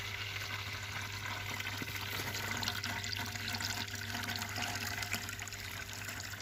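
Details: A Malyutka ("Малыш") vibration pump, about three years in use, had hummed without pumping. After cleaning the check valve and reassembling, a steady low electrical hum comes with water splashing and gurgling throughout: it runs and moves water normally.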